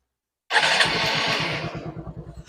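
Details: Honda SP Shine motorcycle after an engine noise repair: it catches cleanly and settles into an even, steady idle with regular firing pulses and no knocking; sounds healthy.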